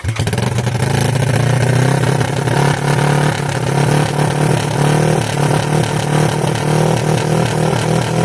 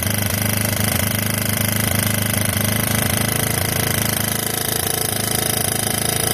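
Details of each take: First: 1986 Yamaha YFM Moto4 200 ATV after carburetor work, with a very rusty throttle cable: single-cylinder revs wander up and hang instead of settling to a steady idle, as the throttle sticks. It needs a new throttle cable. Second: 1986 Yamaha YFM Moto4 200 ATV after carburetor work: fast, even single-cylinder chug with no weird rattles or knocks; normal running.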